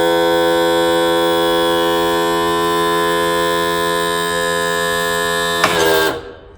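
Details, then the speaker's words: Mercury 60hp 4-stroke outboard trim pump after topping up fluid that was low after 2.5 years; it had only raised halfway. It now holds an even, steady hum for about six seconds with no stutter, then stops cleanly. "We'll actuate the switch. We'll run it all the way down. That is throwing more fluid to the other side, and I think it actually fills up on top of the cylinder."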